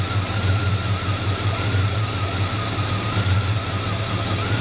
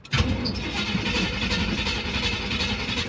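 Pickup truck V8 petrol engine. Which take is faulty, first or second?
second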